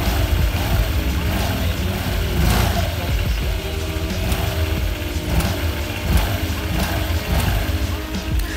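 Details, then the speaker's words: Honda Vario 150 with the CVT cover off, after replacing worn slide pieces with Daytona ones: even low transmission hum, no rattle or grinding; previously rough CVT noise now smooth. "Anda bisa mendengar suaranya cukup halus meskipun penutup CVT belum terpasang."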